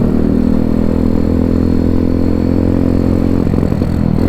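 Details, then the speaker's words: Zongshen Z190-engined Honda C50 riding: steady single-cylinder drone breaks into ragged, uneven firing on low throttle, fine at full throttle; rider suspects spark plug or carb needing a clean, unconfirmed. "I'ming all seems all right when I go full throttle. It just seems a bit spluttery on low throttle."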